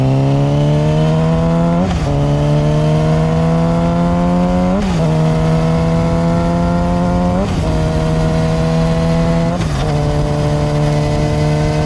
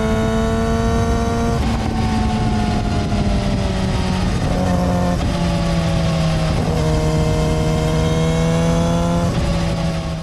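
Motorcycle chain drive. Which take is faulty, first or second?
second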